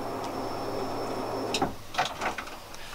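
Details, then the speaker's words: Time-attack turbo build fuel system upgrade, pump rewired through a relay from the kill switch and powered by a separate battery: faint steady whir for about 1.5 s, then relay clicks as the fuel pump primes normally. "So you can hear the fuel pump prime, you hear the relay click."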